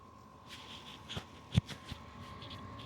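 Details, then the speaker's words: Vevor 5–8kW all-in-one diesel heater, first startup after fuel pump primed with diesel: quiet steady fan whine with soft fuel pump ticks; heater lit and warming up normally. "can hear the engine's going. Getting hot, and we're gonna go ahead and let it sit here for a little bit"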